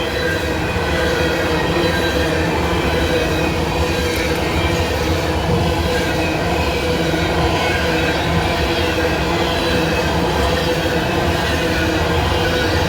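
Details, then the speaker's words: Coal freight train rolling past at Abbeville: continuous loud rumbling grinding roar with thin squeal; unusually noisy rails, observer suspects fresh rail grinding, unconfirmed. "You can hear how noisy those rails are today because I don't know when they grounded them. I didn't see the train come through, but it sound like a fresh grinding on those rails."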